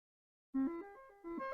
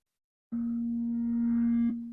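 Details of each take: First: Commodore SID sound chip tested with RetroRewind diagnostic cartridge: clean stepped tones play a short tune with no crackle, buzz or dropouts; chip working properly. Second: Commodore SID chip tested with a RetroRewind diagnostic cartridge: plain test tones fade and restart in short thin bursts, missing their full sweep; chip only partly working, worse than the other.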